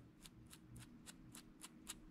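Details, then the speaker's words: Thirty-year-old rusty bearing from a Penn 430ss saltwater reel, hand-spun after removal, giving sharp gritty clicks three or four times a second from rust inside. It is being replaced. "as you can see the backsides a little rusty to life you hear that"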